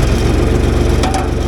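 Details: John Deere diesel after starter replacement, 12.65 V battery dropping to about 10 V while cranking: starter cranks strongly and the engine catches into a steady chugging run without hesitation; a healthy start.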